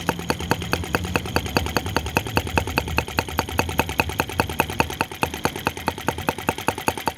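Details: OKMO T16B Lanz-type brass half-tracked model tractor, outdoors, blowing smoke rings at scale speed: slow, even putt-putt at about two and a half beats a second, steady and unhurried; normal clean, healthy idle.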